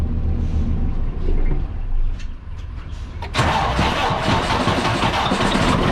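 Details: Start of a 2017 Freightliner Cascadia DD15 diesel, about 800–900k miles and deleted, with customer-reported coolant loss and blow-by: it catches, then idles ragged and uneven with irregular knocking. Cylinder 3 liner failed from an over-fueling injector.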